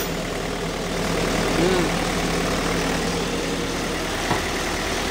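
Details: 2012 Toyota Fortuner diesel that had died on the road and would crank but not start, after fault codes were cleared: steady, even idle with a low settled rumble, no stumbling or hunting; running normally.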